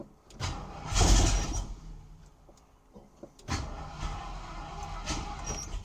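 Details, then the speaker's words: 1972 Ford Maverick Grabber former drag car, first start after 30 years, oil pressure good; starter groans slowly in uneven heavy bursts without catching; weak battery suspected: slow labored cranking. "You can hear the starter sounding pissed off."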